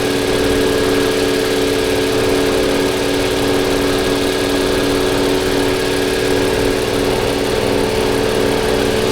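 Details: 2021 Toyota Avalon with P0306, strong vibration and engine and traction lights; coil swapped, misfire stayed on cylinder 6, found clogged/faulty injector; faint uneven stumble at idle from single-cylinder engine misfire.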